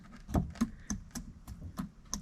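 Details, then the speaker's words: Jeep 4.0 inline-six from a ZJ Grand Cherokee, engine apart in a quiet room, piston rocked up and down by hand: sharp light clacks about three a second, showing slack; owner suspects a wrist pin issue, not confirmed. "if you can hear that that's it going up and down so that means there's slack between the oil"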